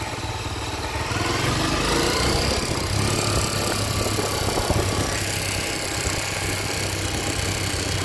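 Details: Honda CB 300 motorcycle: rough, busy idle with a rattly mechanical clatter mixed into the exhaust beat; abnormal engine noise of undetermined origin.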